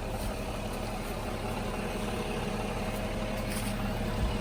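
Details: 2006 Mercedes E320 CDI, OM648 common-rail diesel, idling after the glow plug control module and fuel rail pressure sensor were replaced, no codes or check engine light: even, steady clatter with a smooth low rumble, no misses or knocks; healthy.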